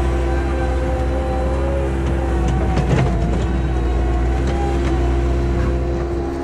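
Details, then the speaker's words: 1999 Bobcat 864 tracked skid steer test-digging after replacing the failing right-side drive motor with a rebuilt one: steady engine drone under load with a faint occasional whine, power stays even; track drive healthy. "all right so that's definitely working pretty well now so that's good"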